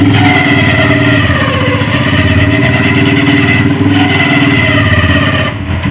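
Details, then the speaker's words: Hi Speed Infinity 150cc motorcycle idling: loud single-cylinder beat with uneven metallic clatter; clutch basket has excessive play, causing the rattle. "यह तो दोस्तों आप देख सकते हैं कि बक्से के अंदर काफी ज्यादा प्ले जिसकी वजह से इसके अंदर काफी ज्यादा खराब हो गया था जो आवाज आ रही थी"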